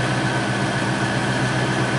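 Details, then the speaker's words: Ford 4.6L V8 Lincoln Town Car idling smoothly and evenly with no misfire after correcting crossed spark plug wires (wrong firing order) that caused a misfire without a check engine light. "okay that sounds a hell of a lot better H and I don't hear a mire"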